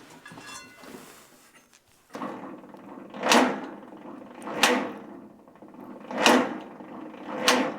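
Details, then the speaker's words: 1943 Case SC tractor with new carburetor that won't fire, cranking on a weak battery during a compression test: very slow, labored cranking with a heavy whoosh about every 1.5 seconds; gauge reads almost nothing, slow cranking, possibly an air leak. "so our gauge is reading hardly anything I don't know if that's just cuz it's not cranking over fast enough"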